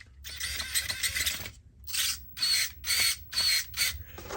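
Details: 9imod BLS-HV60MG 60kg direct-power servo under load, full sweep: repeated high-pitched buzzing whirs with gritty edge, noisy gear train; cause unconfirmed.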